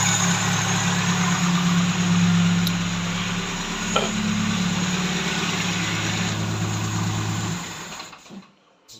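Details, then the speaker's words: Tavria carburetted engine that stalled while driving, after replacing the ignition commutator, Hall sensor checked working: steady even idle with smooth low beat, no misses, until switched off; normal idle after the repair. "є положення що проблема була саме в комутаторі тому що як тільки я його замінив оцей зняв старий ось оце доробло отаке поставив ось цей і все у нас запрацювало"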